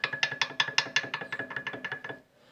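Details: Renault Clio front suspension: rapid dry clicking, about six a second, from a worn ball joint worked by hand; the steering noise was at first blamed on the steering and the inner tie rod was wrongly condemned.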